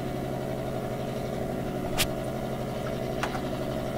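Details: AM radio used to hunt household interference: steady electrical buzz with a hard hum, barely changing as the set moves; suspected from camera power supplies, whose noise shifts frequency as devices are plugged in; source not confirmed.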